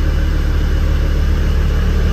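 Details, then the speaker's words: Land Rover Defender five-cylinder diesel, just restarted after fixing a no-start traced to a faulty isolator not giving a good ground: steady, even low rumble at idle with a regular beat, no misses, knocks or hunting. "I don't believe it after all that hassle appears to be that isolator which is Diggy"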